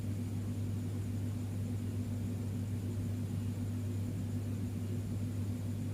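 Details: Fridge compressor GFF57AA (1/6 HP plus or 1/5 HP) with a 1/5 HP overload, replugged for a trip test: an unbroken deep buzzing hum continues past 1 minute with no trip, though it should trip within about 20–44 s; risks burning out the compressor.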